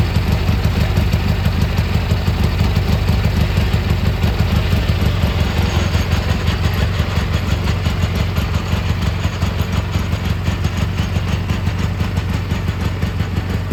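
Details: Gravely G-16 tractor, unrun for a few years, now running on its own fuel while driving: steady even twin-cylinder burble, no knocking or grinding; runs pretty well, smokes a little, carb probably dirty.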